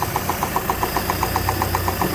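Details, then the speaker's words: 3.0 engine brought in for knocking, felt through the valve cover: a sharp, even knock about eight times a second over a rough idle; clear engine knock, source not yet found, valve cover to be removed. "So, customer states the engine's knocking, so we got it brought back here complete. I can feel it hitting into the valve cover."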